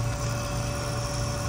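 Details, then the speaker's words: BMW M5/M6/X5M S63TU/S63R, new auxiliary electric water pump after replacement, running during coolant bleeding: a quiet, even hum with no grinding or bearing rumble. The old pump was loud because its bearings were shot. "See how quiet it is now? Before it was all loud, as the bearings inside were shot."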